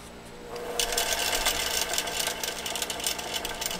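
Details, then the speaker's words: Vintage Singer Featherweight 221 turned slowly by the balance wheel with the motor load off: rough, scratchy grinding from dry, unlubricated mechanism parts. "let's rotate that up then we won't get that awful grinding sound this obviously has not been lubricated real well so it's grinding quite a bit"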